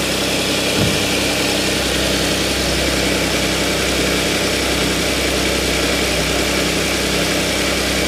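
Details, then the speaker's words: Audi S, cold morning start after replacing broken timing chain guide (链板) and cleaning debris from oil strainer: steady even idle with smooth low hum, previous rattle and 咕咕 sounds gone as idle settles; repair successful. "原来的话发一会儿，这声音就很响了，转速下来的时候，现在怠速已经慢慢下来了。那原来那个声音呢，已经没了。"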